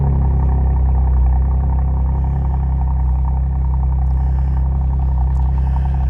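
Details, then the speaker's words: 2012 Camaro in a rebuild, after a radiator fix and with a fully charged battery fitted: steady, even low rumble with no knocks, misses or rattles. No engine codes and the engine light went out. Normal, healthy idle. "No codes. Engine light went out. That's what I was hoping to see today. Sucker sounds good."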